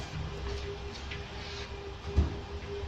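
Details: Range Rover Vogue, rear body rocked by hand: one dull thud over low steady hum, knock in left rear suspension; wheels tight, bushings intact, shock absorber suspected not working, to be removed; unconfirmed.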